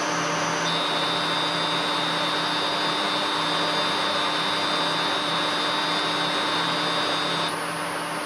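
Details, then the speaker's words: Three-phase motor wired in star, run from single-phase 220V through a 1-phase-to-3-phase 220V variable frequency drive: steady high-pitched whistle over smooth motor hum at low carrier frequency setting; normal inverter whine, left as is. "A mí en principio este ruido tampoco me molesta, así que lo voy a dejar así."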